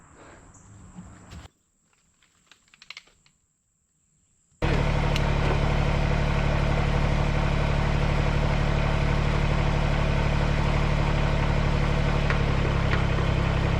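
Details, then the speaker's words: Backup riding mower that sat unused (dead battery, likely flat tire), jump-started with starting fluid and fresh gas; after a quiet spell the small engine settles into a steady, regular idle with an even beat, no stumbling or knocking; normal idle. "I was able to jump it, put some juice to it, a little bit of starting fluid, it started up, got some fresh gas in it"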